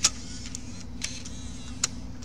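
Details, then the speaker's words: Bose Wave with a 3-CD changer that won't play CDs, where one corner of the mechanism sits out of level: over a low steady hum, three sharp light clicks about a second apart as a disc reaches play position, which is normal. "Yeah, when you hear that click, that's when the disc is here. When I push it, it's gonna start playing."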